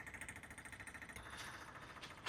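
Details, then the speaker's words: Small clicking transfer pump running from a separate 12V supply to save the house battery while draining a Nissan X-Trail T31 dCi diesel tank contaminated with aluminium cleaner: quick, even clicking at about eight per second, steady; normal pump operation. "Okay, update on the use of the house battery here. I've got that into there trickling away."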